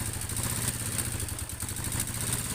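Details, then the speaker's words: Yamaha Mio Sporty scooter idling with a fast dry metallic clatter from the cylinder head; oil circulation not reaching the camshaft and valve rocker arms, starved, worn valvetrain. "Kenapa mesin di bagian head ini kasar otomatis sirkulasi oli tidak masuk atau tidak melumasi bagian noken as pelatuk klep"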